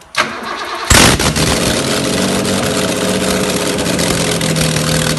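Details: BMW E28 M535i M30B35 with Motronic, first start after rebuild; short crank catches quickly and settles into smooth even idle, no knocking or misfire; normal start and idle.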